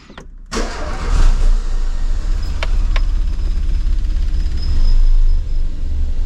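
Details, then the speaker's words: 1990 Renault 5 1.4 with a C3J monopoint engine, after a distributor cap replacement: it starts and settles into a slow, slightly uneven low idle. The idle control motor was removed earlier and idle speed is set manually; it runs fine with enough speed. "Vitesse faible en raison de l'absence d'un servomoteur au ralenti avec assez de vitesse, ça fonctionne bien"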